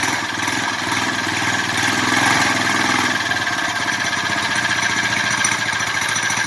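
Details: Big-bore four-stroke single in a belt-drive bike build, first started in almost a year: rapid, fairly even putter holding speed with no knocking or grinding. The engine runs healthy.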